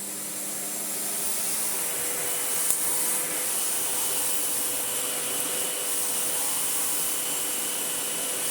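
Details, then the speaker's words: Sebo ET-H powerhead on a Sebo Airbelt C3 vacuum, switched on: steady airy rush with a fine high hiss and the brush roll spinning smoothly; no rattles or grinding, working fine. "it's just as nice as I remember it"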